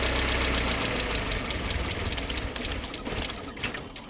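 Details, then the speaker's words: Mercedes SLK left standing for a decade. The engine runs only while the relay is held engaged by hand; when released, its beat fades and it stalls. Engine cutting out from a faulty relay that may need replacing. "So I'm having to like re-engage that relay to get it to carry on running. So when I let go of it, that's when it cuts out."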